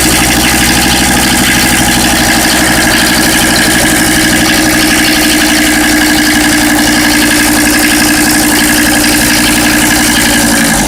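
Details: Mercedes OM617 diesel swapped into a Toyota pickup, at steady idle: a loud, fairly irregular clatter near four per second over the diesel rumble, sounding like a gasoline engine knocking. Source undiagnosed.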